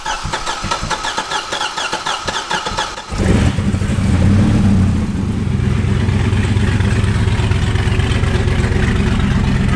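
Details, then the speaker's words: Wrecked C6 Corvette Z06 V8 with aftermarket cam: cranking, then catches and settles into a deep, choppy cam lope with a brief rev; owner feared low compression but it is the cam, engine running properly again. "that's the little floppy cam yeah back up and running all right so she's back up she's running"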